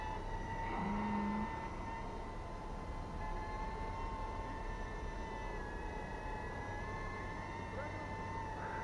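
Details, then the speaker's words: Diatone R249+ HD 2-inch FPV micro quad with SPC Maker camera: steady high-pitched hum through slow flight, no extra vibration; motors sound good though HD video shows slight jello. "But as you know, for the SPC Maker Key 1, the result is not yet perfect, even if the motor sounds good. So I mean, what I didn't hear any extra vibration"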